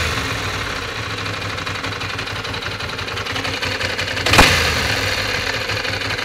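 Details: 1996 Ducati 600 Monster: steady idle with a fast, uneven ticking clatter over it and one sharp blip midway; abnormal mechanical engine noise, cause not confirmed.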